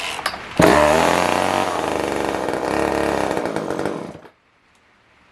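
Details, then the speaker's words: Older Poulan Wood Shark two-stroke chainsaw with carburetor jets found far out: revs raggedly on choke for about four seconds, then dies with choke off; not pulling enough fuel, carb kit suspected needed. "the choke off, it'll die. Yeah guys, I think we need to just look into getting a carb kit for this."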